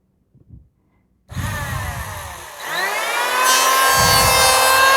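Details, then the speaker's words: Wood planer spinning up to a high steady whine; slight vibration is normal at high RPM while cut stays smooth; runs evenly with no wobble or rattle, normal operation. "Nah, mesin yang bergetar itu sebenarnya wajar ya, karena ini perputaran RPM tinggi."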